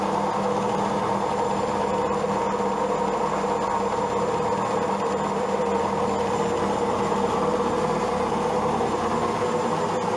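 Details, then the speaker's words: Old Zanussi automatic washing machine on fast spin: steady droning hum with a faint rumbling vibration, the machine visibly moving; cause unknown. "Что-то гудит. Сейчас идет отжим. Просто интересно, что ж такое машинка? Вот вибрация, видно, как движется даже."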